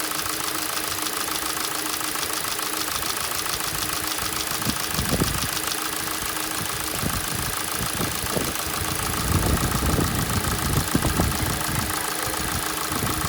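Metallic tapping at idle over a hissy engine background, heard when the engine is cold; the source of the knock is unknown.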